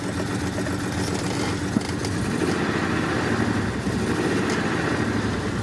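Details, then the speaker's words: Jeep that sat since last winter, possibly with bad gas: rough, sputtering idle with a stumbling beat as a cylinder or two drops out; one or two injectors not firing, blamed on the injector wire. "So that's that injector wire. One or two of the injectors are not firing."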